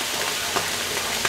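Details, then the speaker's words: Vapor phase soldering setup on a heater: steady crackling hiss with sharp pops about every half second; the liquid is suspected to be boiling and the bubbles collapsing on hitting colder water; unconfirmed. "I think the Gin is boiling and when the bubbles collapse because they're hitting the colder water because it has a higher specific heat capacity yeah it's the bubbles are collapsing"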